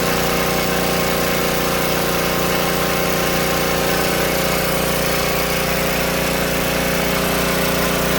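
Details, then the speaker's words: Old Tecumseh-powered generator revived after years outdoors in rain and snow; steady busy drone at constant speed, no surging or misses; only needs a little carb tuning once warm; outputs 115 V powering a fan; normal running. "Let's get the garage door open. She was running good there for a minute."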